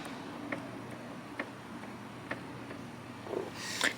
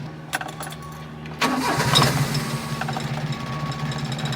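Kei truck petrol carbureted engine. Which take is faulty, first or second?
second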